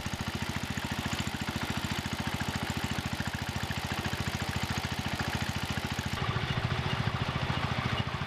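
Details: John Deere 110 garden tractor single-cylinder engine, after rod-knock repair: even steady putter about two beats a second, lifters ticking, belts flopping and some rattle, but no rod knock; healthy idle.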